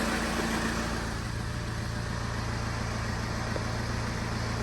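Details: 2008 Vauxhall/Opel Vectra 1.9 CDTi 150 hp Z19DTH diesel, 139,471 on the clock, first start after timing belt replacement: even diesel idle with a steady low clatter and no ticking, rattle or belt whine; sounds healthy.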